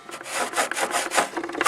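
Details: Toyota Tarago/Previa/Estima van blower fan running after blower housing removal and evaporator cleaning: quick scraping swishes several times a second; blower wheel rubbing against something.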